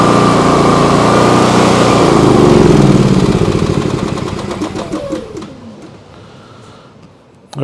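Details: Briggs & Stratton P3000 PowerSmart generator after fuel pump replacement and tune-up, on premium ethanol-free fuel, runs with a steady, even drone at a constant beat, then eases down and fades; it runs smoothly. A leaking fuel shutoff is found afterward.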